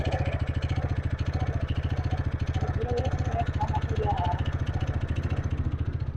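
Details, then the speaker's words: TVS NTorq BS6 scooter started cold in cold weather, ECU-controlled auto-choke raising idle: small single runs at a fast, even patter with steady low thrum and no misses, gradually settling toward normal idle; normal cold fast idle. "Engine की गति पहले तो तेज रहती है और फिर धीरे-धीरे सामान्य गति पर आ जाती है। इंजन अभी भी थोड़ा बहुत चल रहा है, लेकिन ठंड का मौसम होने के कारण जल्द ही इसकी रफ्तार कम हो जाएगी।"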